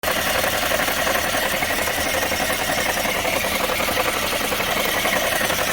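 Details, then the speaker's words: Chevy Sonic running with a constant dry whirring rasp and no rhythmic knock, traced with a hose used as a stethoscope to a bad alternator bearing. "yo usé la manguera y así es como yo logré encontrar el sonido del carro y al final solamente era el alternador"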